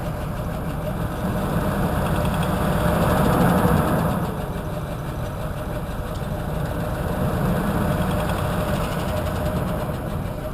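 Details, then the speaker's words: 2004/2005 Ford Expedition V8 rough at idle, smooths above 2500 rpm; at about 1800 rpm steady ticking under valve cover, suspected cam phasers; actually broken cylinder 3 lifter threw rocker, bending valve and destroying camshaft. "another thing I don't know if you can hear it but right at about I'd say 1,800 RPMs you can really hear it ticking underneath"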